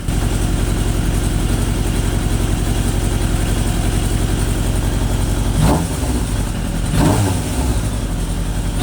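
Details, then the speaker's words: Suzuki GSX600F Katana four-cylinder with aftermarket exhaust and freer-flowing air filter, carb mixture screws set 4 turns out, now idling steadily with light throttle blips; normal idle before carb sync. "A bit more fiddling, and I finally got it to idle at a speed that allowed me to do an initial sync and also check the battery recharge rate."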